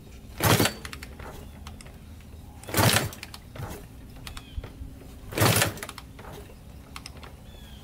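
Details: Rebuilt 1987 Kawasaki Tecate 4 250cc quad, first start after rebuild, good compression: three kicks with no firing; getting gas, spark later found good, gas later poured into cylinder; cranks but won't start.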